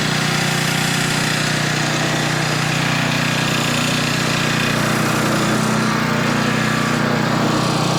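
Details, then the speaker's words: Older Tecumseh 10 hp 4,000 W generator after speed was lowered to about 60.8 Hz; steady, even drone holding one pitch without surging or sagging. Normal governed run. "But if I could put a pretty significant load on it, I mean it's almost half and it doesn't even bother to fall or struggle one bit, then I'm feeling pretty confident in that."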